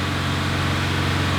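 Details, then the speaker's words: Subaru STI after flood-and-fire rebuild, near operating temperature, no scan-tool codes: smooth, even idle with steady pulses, no knocks, ticks, rattles or vibrations; normal idle. "No vibrations, no noises. Check what it looks like outside."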